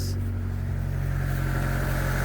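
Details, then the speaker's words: 1999 Mitsubishi Pajero Pinin/iO (Lancer-type petrol engine) after replacing bad high-pressure fuel pump that caused crank-no-start: fires straight away into a smooth steady idle, no stumble or misfire; normal start and idle. "I got that bottom piece back on now if this works we're going to do an I fixed it and I fixed it celebration dance all right here we go should start right up"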